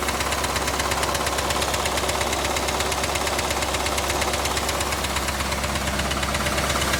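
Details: Chevrolet Camaro IROC engine at idle, mic moved around the engine bay: fast steady ticking with a sharper clack underneath at an even beat; internal tick-knock, source unknown; glittery oil previously seen.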